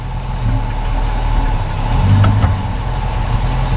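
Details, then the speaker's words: 2006 Dodge Magnum after replacing rear differential bushings with Prothane, following clunking: steady low idle with only a soft thump shifting drive to reverse, no clunk or rattle; rear driveline tight. "huh everything's tight okay i'm gonna set it back down on the ground and i'm gonna go actually take it for a test drive and see what it sounds like"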